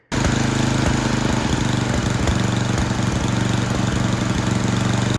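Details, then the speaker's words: Yard Machines 24-inch snowblower with a Tecumseh 8 hp engine, after the carburetor was cleaned and its low and high mixture tuned to cure surging at full throttle: steady, even, rapid single-cylinder beat with no hunting. It runs smoothly. "All right, guys, that's it. It's running."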